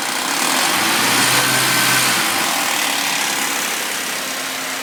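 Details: Suzuki Vitara V6, warm start: constant hissy metallic rattle at idle that holds steady and softens slightly with revs; owner suspects worn timing chains and tensioners.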